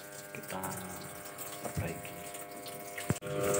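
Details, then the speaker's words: Polytron single-tub washing machine: a thin trickle of water under a steady electric hum. Inlet flow is too weak because the water inlet valve is dirty. "ini kita memperbaiki mesin cuci dengan kerusakan infrahiler nya disini keluar terlalu pelan ya"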